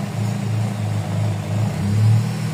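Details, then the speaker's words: GLI with 4A-FE engine idling: low drone swelling and dipping every second or so; high, unstable hunting idle, cause not yet found; a missing screw was noted. "so mataas ang idle niyan boss Nasaan lang eh magalaw yung RPM magalaw"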